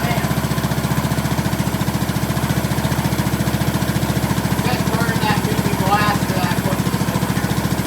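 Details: 2003 Craftsman LT2000, 18.5 hp Briggs & Stratton Intech, first start with fresh gas and plug: a steady, even thump at about 3.5 beats a second without misses or surging; runs well, needs an air filter and oil change.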